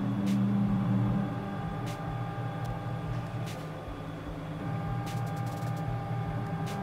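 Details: Gatton CNC router with DDCSV offline controller, 110V 1.5kW water-cooled spindle, motors recently tuned: smooth soft stepper hum, faint steady tones, light clicks; steppers moving quietly and evenly, normal.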